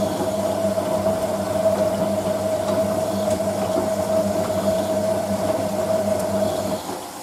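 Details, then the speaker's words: Hotpoint 9530 Electronic 1000 Plus washing machine on Programme 4 (50ºC Coloured Synthetics), polyester/cotton mixed load, rinse: the drain pump hums steadily with a clear mid-pitched tone and water swishing, then stops cleanly. Normal rinse pump running. "Basically, machine fills and then the pump comes on. When the pump shuts off, when the pressure switch is reactivated to fill the machine again."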